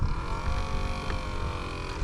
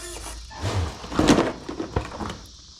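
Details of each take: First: 10–12-year-old Aquacraft Mini Gator Tours RC airboat in water at maximum forward thrust on an old battery: steady mid-pitched fan hum, sagging tone, no rise; battery dying, needs replacing. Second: Ten-year-old Mini Gator Tours RC airboat, bench-tested on a Traxxas nickel-type battery after not powering up: short bursts of a steady buzzing motor whine with fan rush; the fan motor now spins up and runs smoothly.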